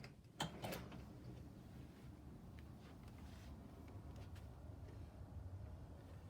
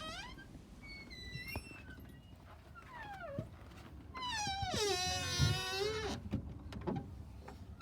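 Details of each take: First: Door hinge after oiling pins with 3-in-1 oil via glue syringe: door swings with soft clack, no squeak or squeal. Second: Fix a Squeaking Door Glue Syringe Hack! Stop a Door from Squeaking w/ 3 in 1 Oil & OPTIONAL Syringe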